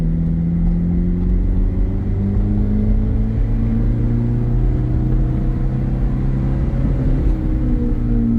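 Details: 2007 Ferrari F430 Berlinetta V8 on a road test, moderate throttle in automatic sport mode holding revs: smooth, even note climbing steadily in pitch through the gears, no knocks or rattles; healthy engine pulling cleanly.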